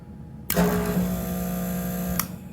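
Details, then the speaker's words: Master kerosene torpedo heater with E1 error code, fuel pump run on its own, solenoid off; small pump switches on sharply and hums at an even low buzz under two seconds, then stops; pump works. "so anyway this should turn on only the fuel pump the solonite is off see if it does"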